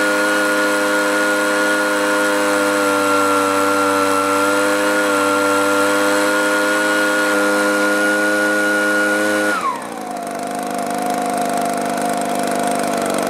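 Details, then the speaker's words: Echo 2-stroke blower with four-month-old aftermarket carburetor, new plug and fuel filter, low needle turned out a quarter turn; steady high buzz then pitch collapses as engine dies; debris particle found floating in carburetor: stalling from carburetor debris. "there we go again even though it hasn't been long maybe the carburetor got clogged up or gummed up"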